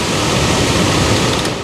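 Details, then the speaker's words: 2004 Toyota Tundra HVAC blower, new replacement motor on high, topping out around 9 A, lower than the worn old motor whose excess draw likely melted the wire and damaged the connector: steady, even air rush with no squeal, rattle or wobble. Normal running. "and that's really what I hope to see is a smaller amp draw on this new motor and uh as you saw it was really topping out right around nine"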